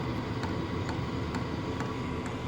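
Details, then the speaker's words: Vevor 2025 portable diesel heater running normally: soft, regular ticks about twice a second over a low steady hum; not very loud, and quieter still with the door closed. "ain't super loud, and when you close the door on it, it's really not too bad."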